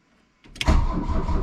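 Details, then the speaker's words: 1982 VW Rabbit diesel on jumped dual batteries plus charger, cold-start advance pushed in after glow plug light went out. Starter turns it steadily but it never fires. Cranks but won't start; fuel prime issue suspected, injector lines to be bled. "happens I think we're probably still fighting a little bit of a prime issue"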